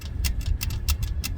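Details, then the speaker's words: 1965 Mustang 289 barn find, parked 29 years: sharp, crisp snaps at uneven intervals as the distributor rotor is rocked by hand with a test spark plug; the ignition produces spark. "So, I feel confident we got a spark now."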